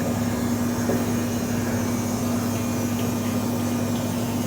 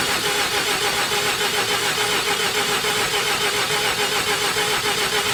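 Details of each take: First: 1988 Mazda RX7 that sat 10+ years, fuel pump draining old fuel from the tank: steady electric hum with a faint whine, pump running and moving the nasty old fuel. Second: 1988 Mazda RX7, 1.3 L 13B twin-rotor rotary, sat unused for over 10 years, in neutral with the microphone set nearby: steady fast cranking at about three and a half turns a second that never fires; crank no start, cause unknown, plugs to be pulled.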